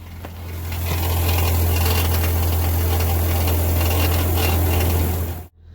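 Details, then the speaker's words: 2000 Honda Accord with almost no power and a suspected clogged catalytic converter, possibly leaking underneath: steady low idle drone with a tinny metallic rattle at a fairly even rate; exhaust rattle, cause unconfirmed. "we're gonna hear it rattling though there is like no air coming out of there"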